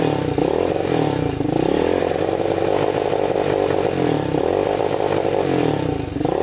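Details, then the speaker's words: Yamaha Warrior 350 quad, year unknown, jump-started with a dead battery before any repair: rough single-cylinder roar surges and flattens when opened up, bogging at full throttle; cause unconfirmed. "Kind of bogs. Doesn't sound the greatest. You can hear it bogging at full throttle, like it doesn't want to go full throttle."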